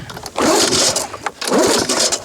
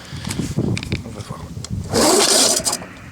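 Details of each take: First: Lawn-Boy 19 mower recoil starter after WD-40 on its edge: two even rasping cord pulls of about a second each, with no catching or dragging. The starter now runs freely, much better than before. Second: Lawn-Boy 19 two-stroke mower, half tank of older two-stroke fuel, primed five times: two slow, rough rasping cord pulls with no catch or firing. The recoil starter is binding; it was later lubricated with WD-40.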